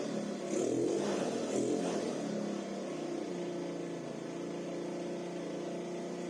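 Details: SYM 50cc four-stroke scooter that would not start, after valve adjustment and carburetor cleaning; warmed up with idle adjusted, a couple of light revs settling into a soft, steady idle with no hunting or stalling.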